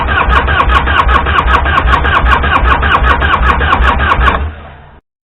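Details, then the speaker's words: 1998 Harley-Davidson EVO Fatboy, first start attempt after about 5 years under a tarp, with a new battery and switch. Steady cranking chuff that never catches; a fuel issue, since it starts on starting fluid, and the battery nearly runs down. "Well, obviously there's a fuel issue. She'll start up the starting fluid."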